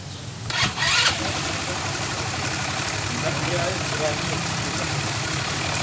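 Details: Engine after intake manifold gasket replaced with DIY folder gasket instead of liquid gasket maker that caused hard starting: brief start-up blip then steady even idle, no misses or hunting; normal idle.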